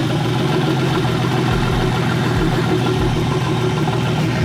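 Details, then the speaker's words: BMW E30 with turbocharged S52 engine, open downpipes with no exhaust, old gas mixed with E85, start after a suspected bad ECU-to-harness connection; loud open-pipe idle that stumbles unevenly with dips every second or so: running rough. "man it's running rough it shoots we should still run but it's not ready insurance"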